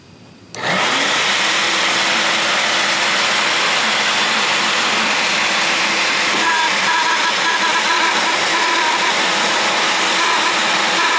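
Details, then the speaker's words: Shop vac starting up: loud steady roar with rough gritty edge and wavering tone; motor suspected to need lubrication (dry motor bearing), not confirmed. "if you have ever had a problem with your shopback making a weird noise there's a pretty good chance that the motor inside of it just needs to be lubricated a little bit"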